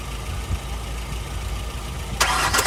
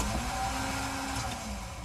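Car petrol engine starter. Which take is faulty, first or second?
second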